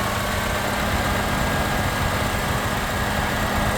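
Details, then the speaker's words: 2007-2011 third-generation Honda CR-V, warm idle: once hot and the cooling fans come on, the A/C compressor and fans engage and never stop even with A/C off. Steady whooshing fan roar and low compressor hum. Owner suspects the heater/climate control unit, unconfirmed. "won't it won't stop and if you turn the the the W one off and you let it cool for for a few hours but when you turn it on again it will start working as expected and once it heats up and the cooling fence go on it will do the same it will activate the fence and the AC compressor with the AC system being off"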